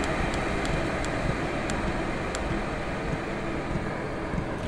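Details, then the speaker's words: 12V Chinese diesel heater turned to its slowest setting, with the fuel pump at 1.7 pulses per second: soft pump clicks over a steady low burner roar; running cleanly. "so we're now doing 1.7 pulses per second and that is its slowest setting"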